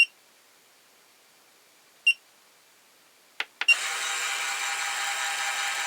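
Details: Lyman Gen 6 powder dispenser/scale after its buzzer was modified to be quieter: two short high beeps two seconds apart, a couple of clicks, then a steady thin motor whir while throwing a charge; normal operation.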